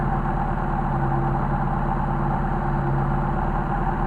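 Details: Mercedes 190SL Solex carburetors on a test bench, vacuum readings 3-4 (target 2 or below): steady low idle with an even beat, little audible change while counterweight is pushed; suspected butterfly misalignment or worn bores, excessive air leaks.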